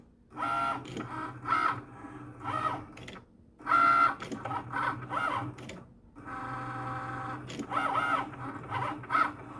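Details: Cricut Maker carriage gives sharp irregular loud clicks in short bursts as it moves; not cutting or writing properly, calibration fails as the sensor can't detect lines, carrier way off center, stopped cutting at 63%.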